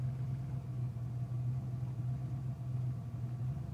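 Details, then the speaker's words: 1987 Mustang 5.0 speed density with 1989 engine, cold start idling about 1000 rpm: deep uneven lumpy rumble and heavy shaking, misfire; new plugs, wires, cap, rotor, coil, fuel filter, IAC cleaned, TPS set, timing checked. "this is at cold I just turned it on I mean it about a thousand but I don't know if you can hear the misfiring like the car super shaky as you can see the [Music] camera"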